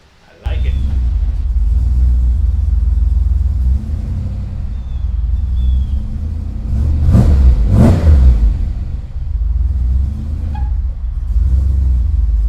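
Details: Ford Ranger rock crawler "The Mutt", first start with a new Magnaflow exhaust with a dump; deep, steady rumble that swells cleanly through quick revs and settles back, running even with no knocks or misses.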